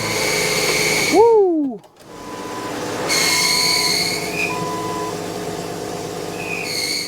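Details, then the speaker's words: 1998 Jeep Wrangler TJ with engine running: loud, high-pitched screech cutting in and out over the engine from the clutch; throwout (release) bearing suspected before transmission removal and bearing replacement. "Uh, we got it running in the last episode, which was turned out to be an easy fix, but then we discovered a huge problem with the clutch. The throw out bearing makes a really loud squealing [Music] sound."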